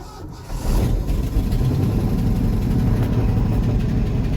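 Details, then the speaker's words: 1974 Ford bumpside with FE 360, first start since November on a rebuilt Motorcraft 2-barrel, choke on, no throttle linkage. Catches after a brief crank into a deep, uneven, lumpy rumble; running rough on cold start. "Well, I mean, it fired. I don't think sounds like it's running all that great, but let's see. Keeping in mind the choke's still on, so we'll go take a look, make sure we don't have any gas."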